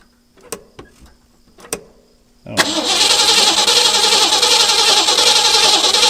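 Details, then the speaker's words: 1963 Ford Galaxie, sat for years, fresh battery: a few clicks then steady cranking, about 3.5 beats a second, never catches; no fuel pulling up, tank suspected nearly empty. ">> He's not pulling up anything. >> You know, he did mention that when he parked it, it was very low on gas."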